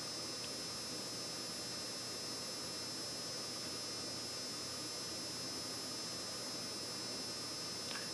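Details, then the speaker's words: Sony HVR-M10U HDV recorder after a tape mechanism repair, on playback and fast forward/rewind: a soft, steady whirr with faint hum and no ticks or scraping. The tape transport runs smoothly and playback is normal. "So, as you got the idea, there is no foreign noises, and just make sure it's off."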